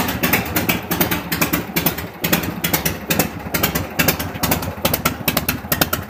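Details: 1974 FLH V-twin at normal idle and rev after pushrod and carb adjustment and an exhaust leak fix: loping, uneven potato beat with crisp mechanical clatter on each firing.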